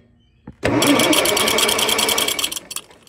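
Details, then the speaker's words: International 140 Industrial tractor, hot-wired with key bypassed, cranks steadily in quick chugs for about two seconds without firing; no spark, suspected grounded junction block stud through distributor or distributor fault, later bad condenser suspected. "we've got something grounded out either my my Junction block stud that goes through the Distributors is grounding out or we got a distributor problem"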